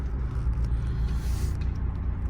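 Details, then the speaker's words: Mercedes W204 C300 driving at low speed in drive, windows down: deep uneven rumble and droning thump in the cabin; owner believes worn motor mounts are to blame. "but i definitely need some motor mounts as you can hear them you hear it"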